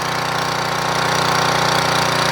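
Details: 3000 watt portable generator after new carburetor install: small single-cylinder runs at constant governed speed with fast even firing beat, no surging or hunting; output about 118–120 volts, healthy.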